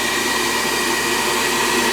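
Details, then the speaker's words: 90+ propane furnace reported to lock out on second cycle, 500-gallon tank just over 100: second-try ignition fires right up, steady even blower roar with no stutter or cut-out; normal. "She fired right up nice that time."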